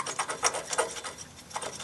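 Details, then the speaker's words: 2008 Dodge Avenger engine noise traced with a stethoscope: the alternator's one-way decoupler pulley, jerked back and forth by hand, doesn't slip as it should and gives short dry rasping scrapes. Worn decoupler pulley. "you can hear it's making noise so I'm confident we just located our source and it's that decoupling pulley on that alternator"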